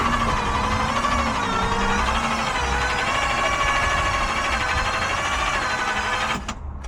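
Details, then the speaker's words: 1JZ-swapped Toyota Cressida that sat three years; engine stopped when turned by hand: starter whirrs with a slow wavering pulse but spins weakly; suspected bad starter, unconfirmed. "It was spinning. >> It doesn't sound strong though. >> No, it does not. >> So, I wonder if it is like an actually just a bad starter."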